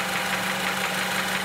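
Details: 2006 Honda Element 2.4L, heard through an electronic stethoscope: a steady, rapid internal knock at idle, loudest in the block and bottom end. Oil pan gasket recently replaced; other shops failed to diagnose it. Cause unknown.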